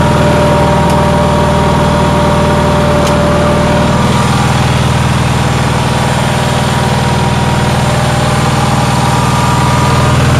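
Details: Onan generator, cold day: quick steady idle with an even low throb and a faint whine. The owner says it idles too high; cause unconfirmed.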